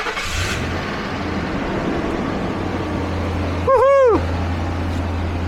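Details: Ford F-150 with 331,000 miles, just after fuel pump replacement: catches right away and drops into a smooth, even low hum with no stumbles; clean start and steady idle, oil pressure present.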